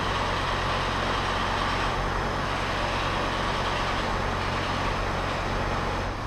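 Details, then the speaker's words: Volkswagen Crafter 2.5 CDI 100 kW diesel van idling: dull uneven knock at front of engine, worse when turning steering, disappears with more throttle; broken crankshaft damper pulley on the drive belt. "Если на более холостых он стучит, если я сейчас начну поворачивать руль, он будет еще больше стучать. Слушайте. Вот характерные признаки поломанного или оборванного демпферного шкива приводного ремня."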